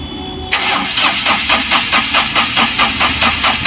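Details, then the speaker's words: Ashok Leyland Dost BS4 diesel with Bosch EDC17 ECU: starter cranks steadily at about two and a half turns a second with no firing. Tank pump pressure is present but high-pressure pump pressure is not, and the engine has no DRV, so the high-pressure pump is suspected; crank no start. "बस दोस्तों यहां पर देखिए यह मेरा टंकी की motor का प्रेशर तो आ रहा है बट जो हमारा हाई प्रेशर पंप का प्रेशर है वह नहीं आ रहा है तो इसका मतलब कि समस्या जो है व मेरे हाई प्रेशर पंप में हो सकती है"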